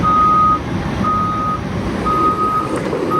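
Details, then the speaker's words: Warmed-up Cat excavator being test driven: steady diesel rumble with regular travel-alarm beeps; drive runs even, smooth and quieter, faster in high speed, nothing knocking. "there's that sound that's the sound we want to hear the tong Tong Tong Tong Tong Tong Tong yeah it is a nice D it drives so much smoother it's quieter"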